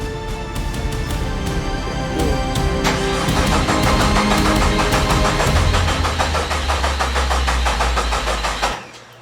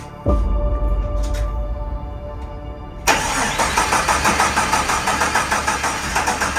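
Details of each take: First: 1972 Jeep Commando with swapped 2000 Cherokee 4.0 straight six: starter cranks steadily, about three turns a second, under music, but never fires, since the coil pack is unplugged. Crank, no start. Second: 1972 Jeep Commando with swapped 2000 Cherokee 4.0 straight six, AW4 and 231 transfer case, first start after fixing junction block wiring: cranks about three seconds, catches and settles into a steady, even run with no misses.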